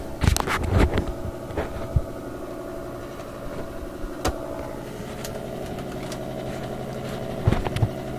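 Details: AM radio in a shop picking up interference that shifts frequency when cameras are plugged in: a steady low buzz with several fixed tones and handling clicks. A camera power supply is suspected as the source.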